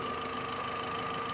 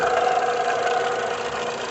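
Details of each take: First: VW Gol 1.6 EA111, which had a strange noise from the rear of the engine, after the pump was refitted and the timing belt timed correctly: a steady, even idle with only normal engine hum and no knock or rattle. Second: VW Gol 1.6 EA111 at idle: steady dry whirring hum from the back of the engine; water pump with broken bearing, to be removed along with the timing belt.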